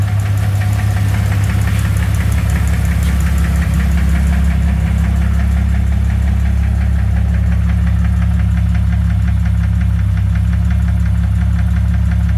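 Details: 2001 Jeep Cherokee 4.0 at idle: steady knock at roughly three beats a second on a deep, even idle. Flexplate is new; cause unknown.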